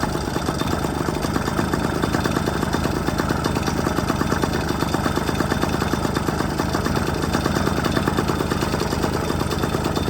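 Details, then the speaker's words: 1997 Yamaha PW50 two-stroke shaft-drive, bought as non-runner, over-oily fuel mix: fast, even two-stroke popping at a steady but slightly lazy idle; throttle set a little low. "throttle's a little low"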